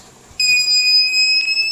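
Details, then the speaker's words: TBE 2000 W power inverter with no output, under repair while checking the SPWM gate signals: a steady high-pitched buzz held for over a second, the protection alarm tripping so no waveform appears. "Pagka nakarinig kayo ng ganyan minsan hindi tutun ay hindi magkakaroon ng wave form doon. Hindi lalabas kasi nga magti-trigger yung protect o kaya yung alarm."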